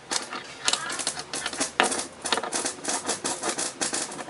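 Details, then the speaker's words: JBL JS 15BT powered speaker with microphone input turned up: irregular sharp crackles and pops over a steady hiss with no rhythm; customer reported hiss when playing sound, cause not yet found. "Começou a aparecer um chiado agora aqui. É semelhante a esse barulho chiado, ó."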